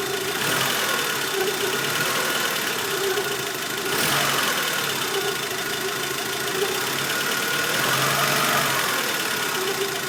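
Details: Mk2f VW Polo idling: faint irregular tapping about four per second over a hissy background; strange engine noise, cause unclear.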